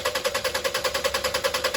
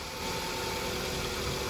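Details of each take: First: 2001 Toyota Highlander 2.4L 4-cylinder with extended crank, fuel pump already replaced: steady cranking at about 2.5 strokes per second that never catches, with pressure only about 15 PSI and dropping fast after shut-off; pressure bleeding off through a leaking fuel pressure regulator. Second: 2001 Toyota Highlander 2.4L 4-cylinder, fuel pump reinstalled, fuel pressure jumping to about 50 PSI: short, even idle with no misses or stumbles; engine runs cleanly and steadily, having earlier had an extended crank.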